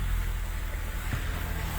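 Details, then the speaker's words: Car starting and running after water entered through open wiring grommet and blew a fuse; fuse box and sockets dried with air, fuse replaced; steady low engine hum, even idle, no misses or knocks; normal running. "Kalau korang boleh dengar, kereta ni dah tak ada bermasalah, boleh start macam biasa."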